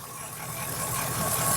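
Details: Mk2 Triumph Stag V8, ignition timing just advanced to 12 degrees, checked with timing light, before carb balancing: smooth steady idle with even low beat, no misfire or stumble; engine settles and sounds healthy.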